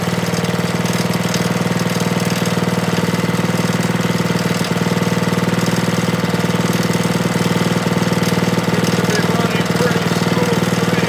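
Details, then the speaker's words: Briggs & Stratton snowblower single-cylinder engine after camshaft replacement for broken decompression lever, running until fuel shut off: steady even thrum at constant speed, no misses or knocks; normal running after repair. "I turned the gas off so it run out of gas hey that sounds pretty good to me"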